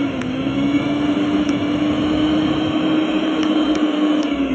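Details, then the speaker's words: Mixer grinder wired directly to mains, bypassing the failed load switch: smooth, steady high motor whine at an even pitch, no grinding or stalling; mixer runs normally. "ಏನು problem ಇರಲ್ಲ. ನೋಡಿ, mixer on ಆಗುತ್ತೆ."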